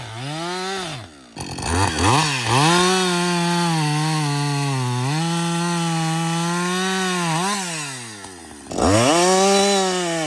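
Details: Husqvarna 562XP chainsaw, reflashed by the shop after dying when hot, not starting and stumbling; about an hour into cutting. A strong, steady two-stroke scream dips as the bar bites and rises cleanly between cuts. It runs normally under load.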